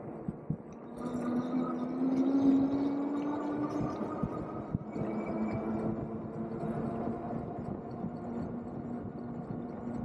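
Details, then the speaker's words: Nakto F6 e-bike riding in highest gear, pedalling fast: faint steady hum with low rhythmic pulsing rising and falling with wheel speed; unidentified noise from the front end, front brakes look fine, rear wheel wobbly. "I'm trying to figure out that noise we're getting from the front."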